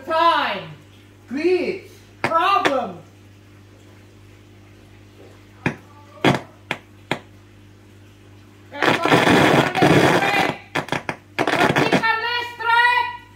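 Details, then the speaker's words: 2006 LG 37-inch plasma TV, model 37LC2D: random pops, warbling squeals and loud bursts of crackling static from the speakers. Audio fault, cause unknown. "Sounds like thunder and buzzes, glitch."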